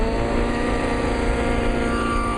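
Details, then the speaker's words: Nitro RC helicopter engine deliberately leaned excessively after a very rich setting, head speed considerably higher: high, steady, thin scream, sharper than rich; excessively lean, risks blowing the engine. "What I did now is I leaned it excessively, and I don't recommend doing this at home if you don't want to blow your engines. But basically this engine now is excessively lean."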